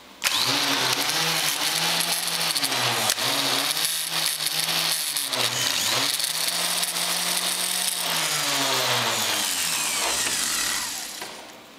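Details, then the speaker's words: Starter motor bench-tested on an inverter MIG welder set to about 20 V instead of 12–14 V: a loud, high free-spinning whine with wavering pitch that winds down. The starter is overrunning on excessive voltage. "yeah that's 20 volts way too much 12 14. yeah i warmed it up a little bit too much"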